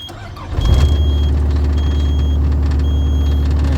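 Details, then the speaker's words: Caterpillar 259B3 skid steer that started then shut down with low oil pressure light, after replacing oil pressure switch behind starter: diesel catches after short crank and holds a deep even idle; stays running, owner suspects wiring issue. "it stays on. It doesn't cut off."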